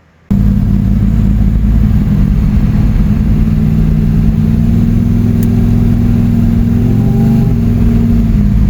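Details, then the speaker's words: Camaro V8 on the road after no-start diagnosis, timing set at 37.5. Deep, steady rumble with revs rising near the end and no knocks or misses; the car runs really good. "and the car is running really good"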